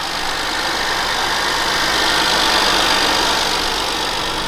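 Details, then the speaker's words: BMW E60 535xi bought from Copart as a non-runner, first start after fitting a new battery: an even, steady idle with a smooth airy turbo hiss and no stumbles. Normal idle with no miss. "There's no miss. Bro, holy shit. Oh, the turbos sound so nice, bro."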